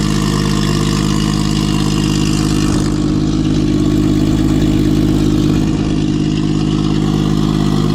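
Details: Nissan RB six-cylinder (RB20 deck) idles steady and smooth with an even low drone and no misses, knocks or ticks. Recorded after fixing a no-compression fault using spare parts.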